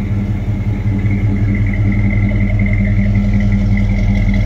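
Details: 1972 Chevy Camaro split bumper: deep, even V8 burble with a smooth, steady beat and no misses, knocks or smoke; the engine sounds healthy and runs cleanly.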